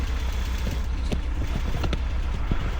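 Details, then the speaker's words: BMW E36 pulled from a field, first run on its own fuel: low, uneven idle with irregular stumbles and pops; misfire, with a massive vacuum leak at the intake boot found. "Sweet. Well, it doesn't sound great, but it does run. I don't hear any [Applause] like terrible engine noise either. And it kind of sounds like it has a little bit of a misfire."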